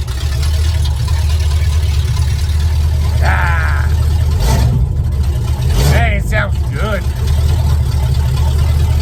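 Deep, steady low rumble with an even beat and no knocks or misses, just a fan whirring over it; the truck engine idles healthily.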